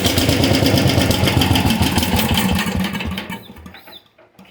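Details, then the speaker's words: 1973/74 MTD 990 Briggs Big Block engine on its rebuilt Flo-Jet carburetor, during idle-jet tuning, runs rough and choppy, then sags and dies. The owner thinks it is running out of fuel and suspects the float, plus heavy blow-by from the carburetor. "running out of fuel and I'm thinking that's our float but a lot of blow-by out of this carburetor too that's not helping"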